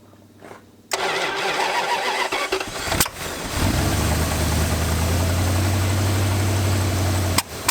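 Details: 1986 Dodge Diplomat police car parked 25 years: cranks briefly, fires and settles into a lumpy uneven idle with heavy low drone; still running badly, cause not pinned down.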